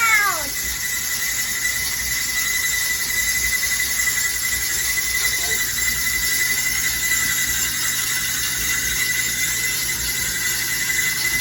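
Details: Dryer running with a loud, steady high-pitched squeal holding one pitch throughout; something in the drum drive squealing, cause unknown, awaiting repair.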